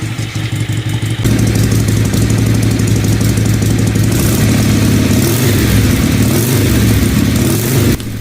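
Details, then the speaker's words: Harley-Davidson Ironhead Sportster on test ride, carburetor first blamed: revs stumble with irregular spits and pops back through the carburetor, needs clutch slipping to move; backfire caused by broken timing cup, not carburetor. "I thought maybe you know it really wasn't the carburetor so I took it out to the field for a couple of laps and if it isn't obvious it was still spitting and popping back through the carburetor"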